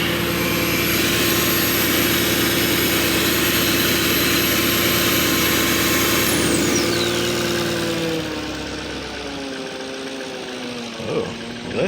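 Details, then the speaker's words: 2004 Porsche Cayenne S V8, Copart auction buy, first start after battery charging: lumpy pulse about three times a second, wavering note, brief chain slap heard, sags and struggles once charger disconnected; rough unstable idle, cause unknown. "Oh, that did not sound good. Oh, it sounds rough. Heard a little bit of chain slap for a second there."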